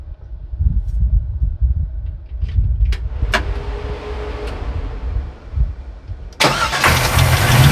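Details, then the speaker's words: 1940 Ford started before winterizing and parking: it cranks and catches, then a loud, uneven engine rattle sits over the running engine from start-up. The cause is unknown, and the owner fears damage is already done. "I don't know if the microphone will pick it up or not, but we'll try anyway, just so you can hear what's going on. If there's damage, the damage is already done, so a couple more seconds running isn't going to really hurt anything more than it already has."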